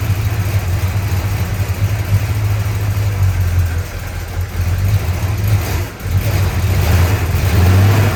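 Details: 1965 Chrysler 300 383 V8 after 17 years sitting in California desert, just revived: deep loping idle with uneven beat, occasional stumble and dip; smoke from leaked oil burning off, holed radiator; owner suspects timing slightly off.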